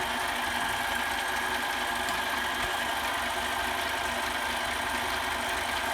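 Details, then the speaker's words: Mini metal lathe turning aluminium, about 30 thou cut toward a shoulder, tool post not clamped tight and the work unsupported at the end: harsh, steady chattering buzz over the spindle hum; tool chatter from a loose tool post. "there is a lot of chatter in there you can hear it if I had some support out here we'd probably do better"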